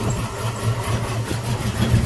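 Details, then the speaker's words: Mustang with 5.0 V8 idling smoothly after replacing the faulty TPS sensor that caused hard starting; steady even low rumble, no stumble or hunting; starts easily now, check engine light still on; normal idle. "running like a cat back again so tps my check engine light didn't come up maybe needs a little bit more time but yeah i'm idling better starts up like a champ"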